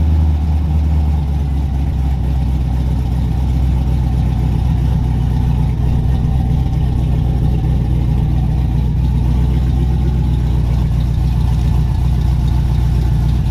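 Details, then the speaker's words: Black C10 LS swap at first fire-up after fresh fuel and new injectors, still needing tuning: a deep, steady idle drone with no knock or tick; the cam-type drone's cause is not yet known and remains to be checked. "It sits in idles and fires up. Got the cam droning thing going on too. We're gonna have to look into that."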